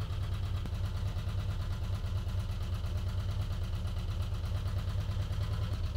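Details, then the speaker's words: 1985 VW T25 camper flat-four idling high and steady, carburettor problems: quick light ticking over the top; one side's valve adjustment screws are quite loose, owner suspects they cause the tapping. "I've also ordered some valve adjustment screws for this side because they're all quite loose and I think that's where all the tapping noises are coming from"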